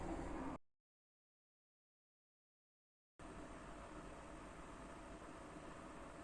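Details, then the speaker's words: First-revision PS4 Pro after replacing year-old MX-4 paste with Honeywell PTM7950 phase-change thermal pad: cooling fan starting to gain a bit of speed but still very quiet, soft steady airy whoosh, no whine or rattle; normal. "Починає трішки набирати оберти, я чую, але все рівно це дуже-дуже тихо."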